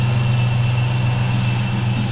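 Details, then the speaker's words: Chrysler 300C with replacement aftermarket alternator, 81.2-inch belt fitted (one inch smaller than the 82.2-inch original) and big three grounding/power wire upgrade: steady idle rumble with a thin constant high whistle, alternator whine persists, voltage about 14.1-14.2 V. "oh there it is so yeah it's still whistling even with a smaller Bell"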